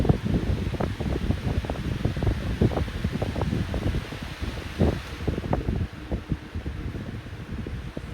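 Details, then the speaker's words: 1999–2000 14-inch Lakewood high-velocity fan running: steady whoosh with irregular light knocks and rattles, plus a whine at startup; blade out of balance, play in the motor bearings, owner suspects the washers. "oh there we go that's that same noise that the other one was making before I gave it away so there is play in the bearings but it also has a wine to it in the startup sound"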